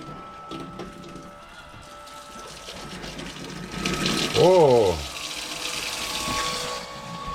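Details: Boat sea-water pump first start, hose dipped in a bucket of water, tap outlet: steady motor hum over gurgling and bubbling as it primes, then an even rush of water with strong flow and no leaks. Normal pump operation.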